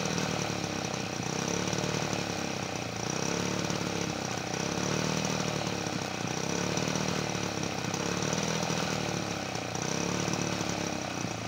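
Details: 1977 Peugeot 103 V moped, first start in a long time after a full restoration with new tyres and tubes, choke fully on: the buzzy two-stroke revs up and sags in slow waves and won't hold idle.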